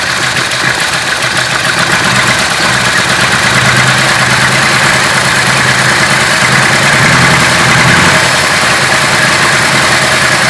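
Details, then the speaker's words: 1966 Ford Country Sedan wagon, stock 390 FE big block with newly installed performance cam: uneven loping, stumbling idle from a big vacuum leak at the brake booster line. "Brake booster, that's a big vacuum leak. Let's try that again. Might run a little bit better without this big vacuum leak."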